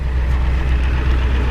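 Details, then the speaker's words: 1993 Ford E350/E450 box truck, 7.3 IDI diesel: deep steady idle rumble, even beat, no knocks or misses, no smoke; runs good, healthy diesel idle. "The engine runs good. She's mint."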